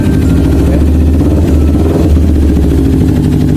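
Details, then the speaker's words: Kawasaki Ninja 250 FI after an alarm install, started only after remote confirmation: steady, even low idle with a smooth note and no knocks or misses; normal idle. "Nah setelah konfirmasi baru motor bisa dinyalakan secara normal"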